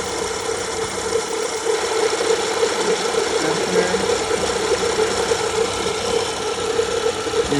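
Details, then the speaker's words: Grinding from a worn belt tensioner pulley on a 2013 BMW 535xi F10 with the 3.0 L turbo N55 engine, idling: a constant rough, gritty grind and scratchy hum over the run; the tensioner is to be replaced. "shaking ably and the tensioner also so I'll replace that because it's making aable sound"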